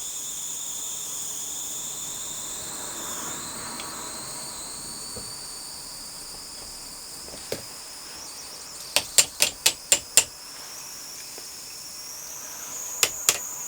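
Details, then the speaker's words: MSS live-steam loco just converted from SM32 to 45mm gauge: steady high steam hiss with a short run of sharp ticks, water coming through the piston, barely moving; owner suspects low pressure and notes it ran much better before the modification. "well we had some movement then I just think we need to build up more pressure it's weird because it ran a lot better than this before I modified it"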